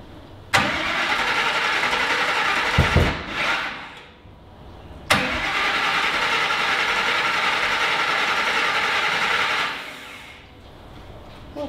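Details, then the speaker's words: Griz, a V8 wrecker, cranks in two long bursts with ragged popping, sounding like it is trying to backfire, but never catches. The fuel pump is running; the coils were wired in the wrong firing order. "not sure what's going on here like the yeah sound like it was trying to backfire"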